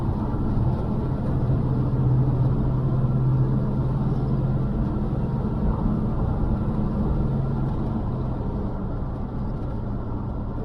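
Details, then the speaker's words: 1982 Chevy C10 long-wheelbase, once locked up, driving in first and second gear: steady low smooth rumble with no knocks or ticks; engine healthy, though the transmission slips into third. "Motor sounds good though. First and second gear is good."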